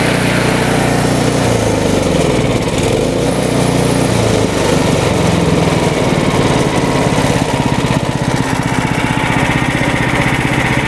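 Engine note swings up and down for a few seconds, hunting rather than holding speed, then settles into a rough rhythm; surging.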